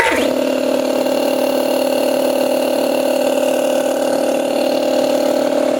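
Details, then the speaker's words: 60-gallon compressor with cracked motor end casing, temporary oil filler cap, missing air filter and bent bracket: steady pump drone with quick even pulsing, about 220 a minute; still pumps air well, normal running. "So the pump does operate very well. Does pump air."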